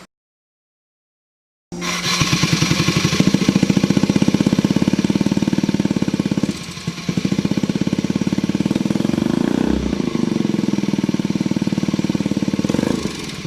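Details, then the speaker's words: Honda Ruckus scooter carburetor, riding under high throttle: rough, choppy chatter that never clears to a clean rev and won't go fast; suspected jetting/mixture issue, planned fix is shimming the needle. "I just drove around and when I hear the chatter that kind of doesn't really go fast so now I'm gonna show you how to shimmy a needle is actually easier to do then replace your jets"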